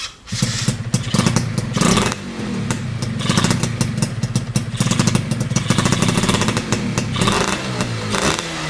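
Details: Yamaha F1ZR two-stroke with BRT CDI ignition, setting considered ideal, after a holed piston: crisp revving held at high rpm, clean and even with no misfire; top-end revs held back.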